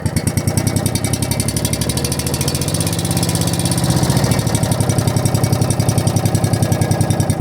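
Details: Log splitter single-cylinder engine with a newly installed carburetor and muffler, before carburetor tuning and RPM setting: steady, slightly uneven idle with a firm low thump and no knocks. Runs fine.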